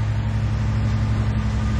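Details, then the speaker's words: Jeep 4.0L inline-six after the knocking engine was repaired under a warranty job: smooth, even beat with a steady low hum and no ticking or knocking. Normal running. "but as I went and drove it and as you can tell it runs perfect no issues no rattles of course"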